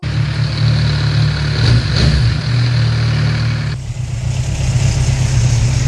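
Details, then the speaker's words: 2017 Kawasaki Z1000 (ZRT00H) at mid revs, valves readjusted without help, chain tensioner defective: fast metallic clatter over the engine; cam chain rattle, new tensioner planned, chain next if still rattling. "so Ventile neu eingestellt hat nicht viel gebracht jetzt einen neuen Kettenspanner und wenn der immer noch so klappert muss die Kette neu"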